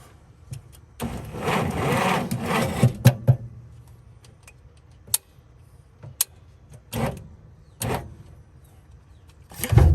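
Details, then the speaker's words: 1951 Studebaker, 6-volt ignition, cranked after filing and cleaning the distributor points with the coil reconnected. Steady starter churning with no firing, then clicks and handling noise: cranks but no spark. "then we're gonna hook the coil back up check for sparkles right here we go [Music] and now we don't have spark"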